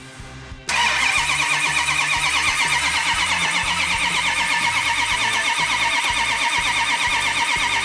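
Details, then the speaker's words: 1971 Hemi Cuda V8, cranked with ignition off so oil pressure builds before first start: steady even starter whir, turns freely, never fires; normal cranking. "So when we do fire it off, we've got good oil pressure, we have fuel, and it should be an easy start. Nothing quite yet, go ahead."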